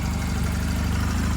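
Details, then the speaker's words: 2009 Honda Rebel 250 twin at 10,263 miles, idling in neutral after start: low, even thrum holding a constant beat with no knocks, misfires or hunting; normal idle. "So it's a good running bike for $800."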